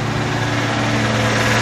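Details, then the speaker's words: RV motorhome engine, dormant over 20 years, running with rebuilt 1-barrel Rochester carb, fresh gas and an electric fuel pump to a fuel cell. Warming up outside. Steady, smooth low rumble with no misses or knocks, no smoke; normal idle. "no smoke nothing crazy that is awesome 20 years in the making"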